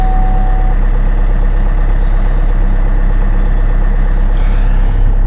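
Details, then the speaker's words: Diesel cold start in sleet after sitting several days, one glow plug cycle; steady even idle with low regular beat, no knocks or rattles, healthy. "It's been sitting since Saturday. Here we go. And start it up and no problem."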